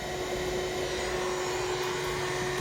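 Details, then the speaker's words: Tandy 2500 XL computer, old case fan very loud, constant rushing jet-like roar with steady mid-pitched tone; owner suspects the worn case fan (hard drive also noisy), plans to replace the fan and swap the hard drive for a CompactFlash card via IDE adapter. "And we'll see if that helps with the noise at all. And then I think the next step is going to be that I will replace this bad boy with compact flash card using a compact flash IDE adapter. So I mean, holy cow. That thing is like a jet taking off."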